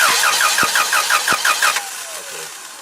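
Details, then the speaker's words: Toyota 7FGU25 forklift with a no-start complaint, test light on the solenoid negative lit while cranking: the starter chugs evenly at about three beats a second and it never fires. Cranks but won't start; compression not suspected. "So you see, although it's a weird angle, that my test light was lit when I'm cranking over with my test light connected to negative. I know there is power going into that solenoid, right?"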